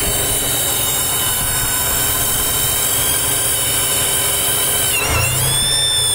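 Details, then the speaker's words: 1995 Chevrolet S10 with TBI at hot idle, noise only at operating temperature: steady high whistle over smooth idle, briefly sagging in pitch; vacuum leak, confirmed as bad throttle body base gasket and fixed. "that's 99% sure a vacuum leak there I just want to make sure what it is anyway thank you for watching"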